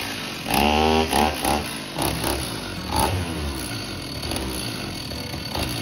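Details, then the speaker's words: Old STIHL chainsaw of unknown condition, air filter off: fires only with throttle held fully open, catching in ragged revving bursts then sagging and fading; will not sit at idle, cause not confirmed. "well it won't idle if i try to crank it with the throttle all the way open it'll go well let me rephrase that it'll fire up but it will not sit at idle"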